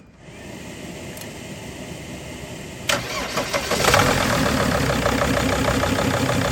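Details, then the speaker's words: 2005 Mercedes Sprinter diesel van with a leaking injector line not sealing: cranks and catches, then a clattery idle with an uneven stumbling beat; sounds like a misfire, injectors then tested individually. "You know what? It sounds like it's misfiring, doesn't it?"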